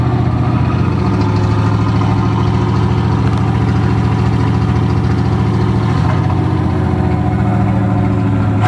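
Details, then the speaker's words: Vehicle engine at idle after exhaust work was finished; steady even low rumble holding flat, no ticks, puffs or rattles; idling cleanly. "So now that we got the exhaust done, there we go. Sounds good."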